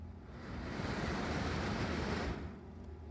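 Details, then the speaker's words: Dirty, very loud NuTone bathroom exhaust fan after cleaning with alcohol and drying, before bearing greasing: steady airy whoosh and low hum without rattling or grinding; sounds a lot better now. "sounds a lot better now too it already sounds better"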